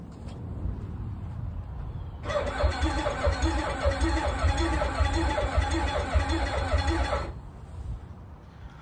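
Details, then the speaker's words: 2006 Kawasaki STX-15F jet ski, bought in rough condition, after new spark plugs: the starter spins about five seconds with even compression pulses but never fires; owner suspects clogged injectors or fuel pump giving little fuel, unconfirmed. "the last time I worked on it um I had bought new spark plugs I put them in cranked it up as you can see in the last clip um and nothing was happening I didn't think anything was going to happen"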